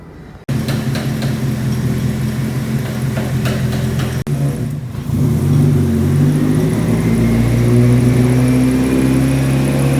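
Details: Nissan 180SX Type X, SR engine with TD06 20G turbo, Nistune ECU, 3-inch dump pipe with muffler deleted, on the dyno at 15 psi: strong smooth pull rising in pitch with no misfire or knock; about 255 rwkw with injectors maxed out, engine healthy.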